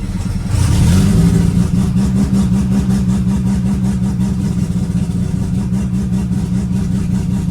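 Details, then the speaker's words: Mazda bridgeport turbo Renesis rotary after alternator swap and dwell set to 3.5 ms: catches almost immediately without throttle, brief flare, then steady even idle with no misfire; clean healthy start. "So that started up nice and easy, didn't even have to touch the accelerator. Yeah, I think we're good."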